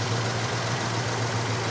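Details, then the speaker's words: Old California car with V8 after a long road drive, under hood: deep, steady low rumble with an even beat, no knocks or misses and no smoke; normal smooth idle. "Listen to that thing purr like a kitten. There's no smoke."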